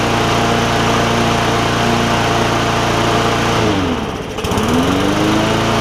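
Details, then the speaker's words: Bolens push mower, Briggs OHV single-cylinder, hard-pull rope, speed earlier very fast: steady high drone that sags sharply and climbs back within a second, speed surging; owner suspects governor. "Still doesn't seem like it's running like it needs to governor wise, but that's okay."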